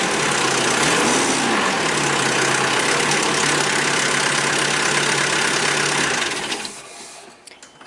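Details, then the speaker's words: 1996 Nissan with KA24E engine, cold morning start-up: a harsh metallic clatter rides over the engine, then fades away; fixed by installing a timing chain tensioner spacer. "Hi, I have a 1996 Nissan. Every time I start it, it rattles, and"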